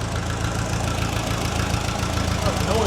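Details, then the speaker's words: Restored Ferguson TE20 petrol tractor, fuel now flowing freely to the bowl; low steady idle, even beat about three and a half per second, no knock; runs well, though it later cut out suddenly, coil suspected. "Ah, she sounds good."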